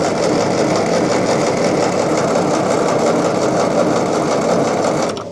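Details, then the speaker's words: Restored Ferguson TE20 petrol tractor with new ignition, fuel tank and radiator, spark confirmed; fast even cranking held five seconds without firing, because the new carburettor main jet was fitted but not adjusted; later set all in then a turn out. "I found the jet came in a separate bag and I'd put it in but not adjusted it. So I've adjusted it now, all the way in and a turn"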